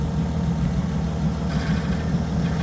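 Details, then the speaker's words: Oliver Super 88 tractor at idle with PTO engaged: deep steady idle with a rough droning rumble underneath; PTO clutch noise after PTO was left half-engaged and clutch possibly smoked, suspected shifting fork rubbing or throwout bearing. "makes a lot of noise um which sounds like the little shifting Fork is rubbing in there or the throwout bearing"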